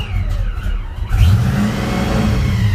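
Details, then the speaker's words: Supercharged Fox-body Mustang on first start, idle air control unplugged: engine catches, surges and hunts unevenly, popping, struggling to idle; owner unsure if vacuum leak or idle air control fault. "I'm wondering if it's vacuum or if it's idle air control having an issue. Yeah, it's popping and doing all kinds of fun stuff."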